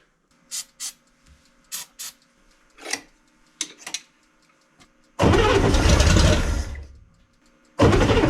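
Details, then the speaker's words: 1965 Chevrolet Corvair, two carburetors, flooding after stored winter, first start attempts; scattered pops and clicks then long harsh cranking bursts that catch and die, starter suspected loose; intermittent firing while cranking. "run okay well I think she's going to run I'm going to I'm going to quit while I'm ahead and not keep grinding on this starter"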